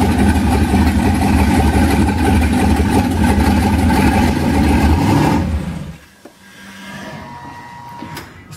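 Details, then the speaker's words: 1991 Mazda B2200 with a rebuilt twin-turbo 6.0 LQ4 V8, 80 lb injectors, stock 2002 GM ECU on a 2-bar speed-density tune, first startup: deep V8 burble, lumpy and uneven for about five seconds before shutoff; still needs tuning. Rough first start. "needs to be tuned but very exciting to hear the motor finally run after rebuilding the stupid thing"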